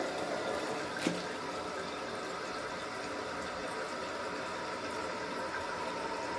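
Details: Toto 528 toilet tank refilling after fix, steady even rush of water with one small click near start; normal refill.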